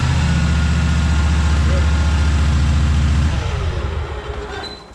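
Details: Cub Cadet 1864 lawn tractor, Kohler Command 18 engine, after fuel system cleaning and repair, started on full choke with a little throttle. A steady even low throb with regular firing and no stumbling, then it winds down; running cleanly, fixed.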